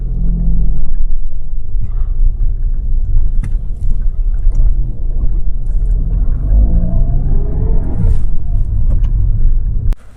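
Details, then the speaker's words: Lada Vesta over bumps after replacing the stabilizer bar bushings: only low road rumble and tyre noise, no squeaks or creaks; the earlier suspension squeaks are gone. "Ну что ж результат есть при замене скрипы ушли"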